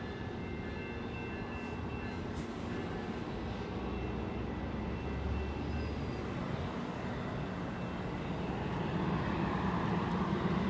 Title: A strange noise coming from a Go Train Engine 665 at East Gwillimbury Go Station